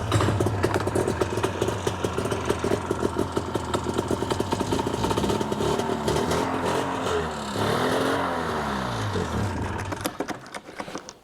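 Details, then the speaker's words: Ski-Doo 377 two-stroke snowmobile on a stand after tie-wire motor mount fix: ragged rattle surges and sags, then dies; tank found empty, primer pump doing little, fuel starvation stall. "I think it's actually out of gas finally the uh pumper is not even doing much"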